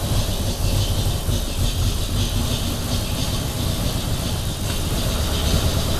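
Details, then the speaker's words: 1932 Nash 990 Series straight-eight with dual-point distributor and 16 plugs, during tune-up with new points, started on the left bank only: uneven, lumpy chugging at idle; running rough, cause not yet found, to be smoothed before fitting right bank. "something's out of whack ain't very smooth running though yeah we need to see if we can smooth it out before we get the right side on there"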